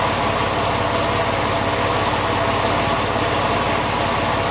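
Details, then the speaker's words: Porsche 911 996 C4S after pulleys swapped with parts from a 986 Boxster, MAP sensor and air intake disconnected: steady even idle, belt pulleys now quieter with no whir. "now it's going to run a bit like that cuz the map sensor is off and the air thr is off but that does sound quieter"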